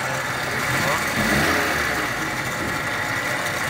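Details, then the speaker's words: Volkswagen Polo 1.6 at idle after intake and throttle body cleaning: rough whirring mechanical rush with no clear knock, stops when clutch is pressed; manual gearbox noise, likely input-shaft bearing. "son sesini bir duyalım ses ne bu ses ne Ç şanzıman şanzıman debaj basınca kesiyor"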